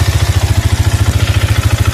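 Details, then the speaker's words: Used Yamaha Vixion motorcycle at idle: heavy, fast, even thumping about twelve beats a second with loose clatter; badly worn piston and connecting rod play. "Nah bisa didengarin suaranya gembrungsung parah untuk bagian bagian piston ini parah nih suaranya nih kemudian stang sokarnya atau stang sehernya ini udah mulai berasa juga"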